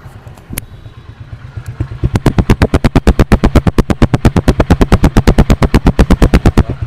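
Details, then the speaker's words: Honda Win 100 (Indonesian) single-cylinder motorcycle with a fully rebuilt engine, original head and original carburetor, at idle. Deep, even exhaust thumps at about three per second with a quiet background; described as very smooth, a normal healthy idle. "xe này cái cục máy cực kỳ ấm luôn máy rất là êm nha Nguyên 100 mà cái độ êm nó như vậy là quá chuẩn rồi"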